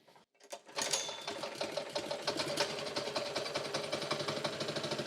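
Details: Honda small single-cylinder engine after carburettor removed, cleaned and refitted to cure fuel starvation: catches and settles into a quick, even patter with steady rhythm and no misses; running normally.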